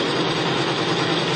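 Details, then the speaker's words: Extreme-pressure test rig: an electric motor spins a race bearing against another bearing bathed in pump diesel; harsh, steady metal-on-metal grinding from the start, as the diesel alone barely lubricates and fails at about 50 lb load. "right away you can hear it grinding the metal against the metal we're going high pressure"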